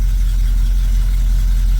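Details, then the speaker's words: 1973 Chevrolet Camaro (split bumper, mostly original), carburetor idle just adjusted, in drive under load: low, steady, even rumble at about 800 rpm with no misses or stumbles; normal idle in gear. "so we're about 800 RPMs let say yeah that's about right"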